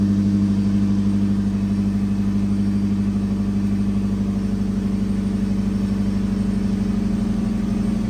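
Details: 2003 Ford SVT Cobra Terminator V8 idling after a DIY swap to new NGK TR6 spark plugs, with the intake removed and refitted: a steady, even idle with a low constant drone and regular pulses, no misfire or ticking, so the engine runs healthy.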